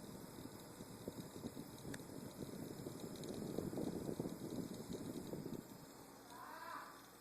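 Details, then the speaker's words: Maingear F131 desktop PC, normally quiet for years, suddenly makes a fast, uneven rattle (earlier a ticking) near the rear of the chassis at power-on; stopping the fan hub by finger doesn't stop the noise; cause unknown. "It's a ticking noise right now. Now it's changed to more of like a rattling noise."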